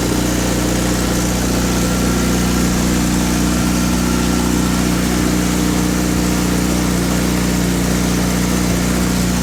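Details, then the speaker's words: Honda FA5 Civic with K24 swap, all-motor build with aggressive cams, first start on open header: loud raw idle with steady even firing, no knocks or misses; healthy normal idle. "I mean, it's open header, but you can like hear it working. That's what Danny said. This sounds good."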